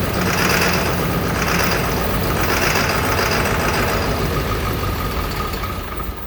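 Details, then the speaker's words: Ford 7.3L Powerstroke diesel started with ether: loud, uneven clatter at about three to four beats a second, then cuts out; rough running, injector 4 found with a damaged tip. "They all look pretty good except for injector 4. The tip of it is pretty messed up."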